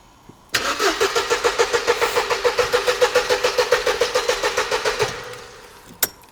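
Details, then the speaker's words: Mercedes SLK left standing for a decade: even starter chugging about three and a half per second for four seconds, never fires, and no fuel pump priming heard at ignition-on; fuses to be checked next. "No, but I still didn't hear the fuel pump priming. No. I'll tell you what, let's go and check some fuses first before we go into the big stuff."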